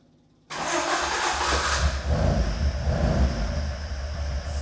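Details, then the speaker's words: Mk1 Ford Escort, freshly built high-compression 1700cc Crossflow with Jenvey throttle bodies and Emerald K6 ECU, first-ever start stone cold at about 30° ambient: catches at once and settles into a slightly lumpy but steady idle, a clean normal cold start. "And you know what? Even already, that sounds sweet as a nut"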